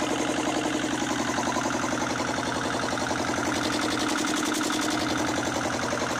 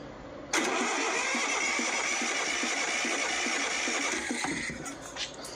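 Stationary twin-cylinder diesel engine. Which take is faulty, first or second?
second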